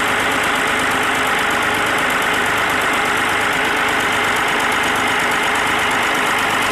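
Steady, even diesel clatter at idle with no misses or stray knocks; the engine is running smoothly and sounds healthy.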